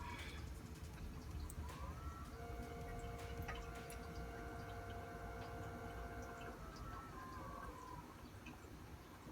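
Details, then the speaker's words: Maxspect Gyre XF 230 pump in a Red Sea Reefer 250 tank, pulse mode beside a Vortech MP40: thin motor whine climbs in pitch as it speeds up, holds, slides down; Gyre substantially louder when ramping. "Now, I don't know if it's coming up on the camera, but the gyre is substantially louder than the MP40."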